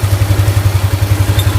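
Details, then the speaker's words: Yamaha Aerox scooter engine idling smooth and even after repair; the earlier harsh rattling/ticking was from a broken rocker arm bearing and the rocker arm shaft, now replaced. "untuk suaranya kembali lagi halus banget untuk suara mesinnya yang tadinya ngeletek e suaranya kembali halus lagi Bang"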